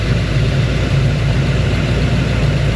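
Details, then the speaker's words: 1941 Ford checked for misfire, vacuum about 16–17 inHg with no valve-train fault on the gauge: deep, slightly loping idle with uneven exhaust pulses; sounds like a mild cam and is fairly normal, not a confirmed misfire. "think it sounds like it's got a little bit of a cam. I hope that's not what he's talking about. Gotta find out if he just bought it or what. The way that's running right there is fairly normal."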